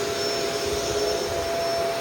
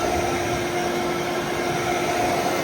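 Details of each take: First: Shark Rotator DuoClean Powered Lift-Away on carpet: smooth motor whir with steady whistling and no brush beating; weak brush roll agitation, which the owner assumes is due to the soft roller. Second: Other vacuum (Phantom Thunder) on carpet, medium setting, for comparison: steady motor whir with a fine beater-bar rattle and audible bounces, no pitch drop; brush roll agitating normally.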